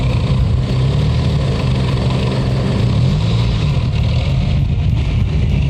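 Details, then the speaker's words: 1984 Chrysler LeBaron, Mitsubishi 2.6 four-cylinder with Mikuni carburetor: lumpy, uneven low idle under the exhaust note. The choke was wide open and fuel was reaching the line. Carb idle problem, cause not yet found. "And it comes with a Mikuni carburetor, and this one's got an idling problem, just like almost all of them do."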